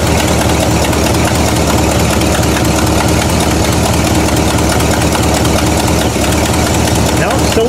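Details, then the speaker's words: "Bluick" Buick with an ongoing misfire after new cap, rotor, wires and coil: loud, uneven idle with irregular stumbling beat that dips now and then; owner suspects points/condenser, dirt under distributor, or fuel delivery, unconfirmed. "anybody has any idea why it just dips like that moment please let me know if that's been an ongoing issue and I really don't know what it is"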